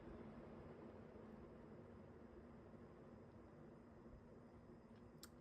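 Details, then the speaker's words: Newly installed Encon ceiling fan on an aftermarket speed control, turned down to low: steady airy whoosh with faint low hum; noisy with this control and the fan is quite unbalanced. "Definitely noisy with this control."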